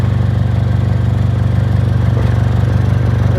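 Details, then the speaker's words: 2006 Honda Accord 2.4L four-cylinder at idle: loud, deep exhaust with rapid low puffing from cracks in the muffler, where metal anti-theft rods welded in after a catalytic converter theft cracked it through vibration. "someone had a cat stolen so they put some metal rods in here and they welded into the muffler but with all the vibration they just caused it to make a big old crack across the muffler"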